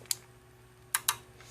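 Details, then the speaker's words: LJ92-01511A PS-507-PHN power supply board under test: a few sharp clicks with no chattering as the supply relay pulls in and holds, and no blinking. A faulty board would click back off and blink. Normal power-on. "clicks and stays off. If there was a problem, it would be clicking back off and this would be blinking."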